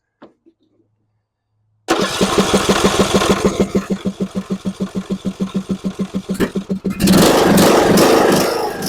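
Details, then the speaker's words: John Deere E100 mower that died while driving with a puff of smoke: steady chugging cranking for about five seconds, then it catches and runs with the fuel shutoff solenoid unplugged; pump delivers fuel, so the solenoid is faulty and needs replacing. "we had it running with this unplugged so it's getting fuel everything seems to be running all right so it's just this we need to replace"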